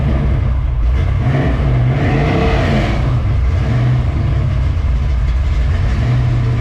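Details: 1967 Mustang road-race car, first start after replacing the oil pump, carb primed with four pumps: deep steady V8 rumble with a few throttle blips, no knocking or tapping; much more oil pressure than before.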